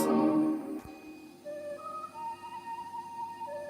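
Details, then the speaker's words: Restored Sony TC 106 reel-to-reel playing a nearly 60-year-old charity-shop tape: slow wavering warble on sustained notes; wow and flutter absent with new recordings, suspected from aged tape, not confirmed. "You hear that warbling, like it doesn't do that when I record from like a new recording."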